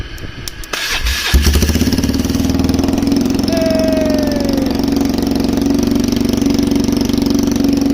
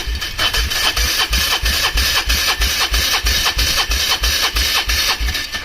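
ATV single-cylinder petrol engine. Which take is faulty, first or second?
second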